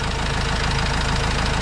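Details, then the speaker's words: Vauxhall Vivaro diesel van, first start after an overdue service with new oil and filters: steady even diesel clatter at idle, about ten soft beats a second, no misses or odd knocks, no leaks; normal idle. "well hope you can hear me okay but i can't see any leaks from anywhere sounds nice enough for a dirty old diesel yeah sounds good"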